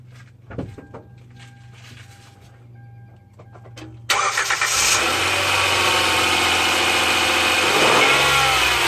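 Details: 2010 Hyundai Santa Fe engine bay: faint steady whine over a quiet idle, then a loud rushing roar buries it; cause unknown.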